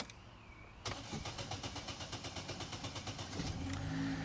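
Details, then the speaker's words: 2011 Vauxhall Insignia 1.8 XER with poor performance and codes P0340, P0341, P0366, P0170: starter churns about four beats a second for nearly three seconds before catching; long crank, owner suspects ECU ignoring cam sensors and running off crank sensor. "so it has uh elongated that'd be right they've got a log it's got a long crank time i think it's ignoring these i think it's just maybe running off the crank sensor"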